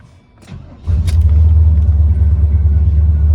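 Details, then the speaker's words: ZZ 502 carbureted V8 in a low-mile original 1970s El Camino, starting up: a brief crank, then it catches and settles into a deep, steady, even rumble with no misses. A normal start. "that's how 502 with the carburetor starts up."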